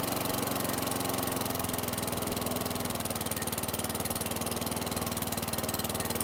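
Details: 2008 WeedEater 22-inch mower, Briggs & Stratton 500 series 158cc (model 10T50), after sitting under six feet of hurricane floodwater, runs after a two-pull start with an even, steady single-cylinder putter, no misses or knocks; still smoking from oil that poured out the muffler.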